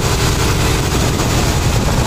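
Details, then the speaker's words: 1986 Mercedes W126 420 SEL after high idle near 2000 rpm: once the idle control switch connection is made, idle drops to a low, steady rumble without hunting; fault traced to that switch. "okay you can see now idle went completely down so now i know it's definitely due to that switch"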